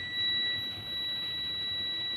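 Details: Honda Civic FD R18 (FD2R) with US-brand gas system not switching to gas: new tank solenoid coil tested on meter continuity mode, steady unbroken high beep; coil winding intact, old coil blackened and suspected burnt open.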